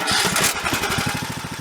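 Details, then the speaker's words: John Deere D110 lawn tractor after pulley work, blades engaged, transmission disengaged: single-cylinder engine runs an even steady pulse, no squeal or knock; the earlier loud noise is gone. "And you know what, guys? That sounds damn near perfect. No noise whatsoever."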